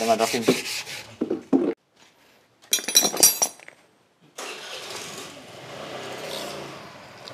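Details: Honda Vario 125 scooter, brought in with the overheat warning light on, owner reported a rough engine noise, fault traced mainly to the radiator: after handling noise the engine catches about four seconds in and settles to a steady, even idle with no knocks.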